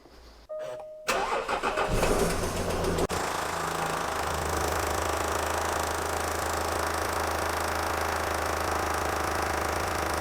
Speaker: Today we have this Jaguar XF. It's a 2006 3-litre TD V6 and the customer complaint is there's a tapping noise coming from the engine.